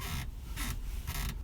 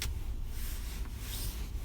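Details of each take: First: 2016 UAZ Patriot driver's seat squeaks high and scratchy each time it is rocked, about three squeaks in under two seconds. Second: 2016 UAZ Patriot driving after lubricating the driver's seat back friction points with spray: only a low, steady road rumble with no creak or squeak from the seat; the seat squeak is fixed.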